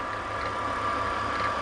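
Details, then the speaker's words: BMW E46 at idle, squeak traced with a screwdriver to the silver belt tensioner mechanism, visibly bouncing; thin steady squeal over quiet idle; bad tensioner pulley, not the alternator as suspected. "bad tensioner mechanism okay so that's interesting I really thought that it might have been the alternator but turns out it's the tensioner pulley"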